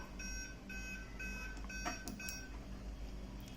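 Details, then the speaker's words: Aquaguard water purifier beeping with red lights blinking: short high beeps repeating about twice a second in a quiet room, the error alarm caused by a faulty purity (quality) sensor, a light-dependent sensor, which was replaced with a new one. "so this one is faulty that's why this error happened so I have now replaced this and put the new one here"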